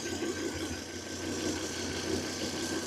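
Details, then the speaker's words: Volvo with new spark plugs and coils, scanner suggests cylinder 5, checked cylinder by cylinder with scope: steady idle with faint irregular stumble in exhaust pulse; misfire found occurring on cylinder 3 at idle. "Miren, el Mi fire está ocurriendo en este momento. Déjenme estabilizo la señal. Ahí, ahí ocurre la falla."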